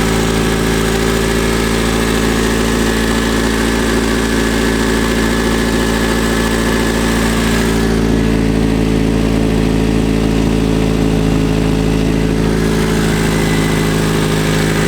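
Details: 1971 Fiat Spider 850 four-cylinder after 30 years stored, first independent start with the original mechanical fuel pump refitted: even, steady idle with a constant low drone and no knocks or misses; it runs smoothly.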